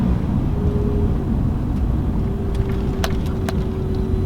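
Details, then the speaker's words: Daily-driver truck with rusty rockers and cracked drive belts: above 40 km/h a thin, constant mid-pitched whine holds over road rumble while cruising; source not yet known. "there's some noise that this thing's making above 40K an hour it literally sounds like there's an owl pooing in the truck if that makes sense like it's like this like like super super kind of mid-range pitched"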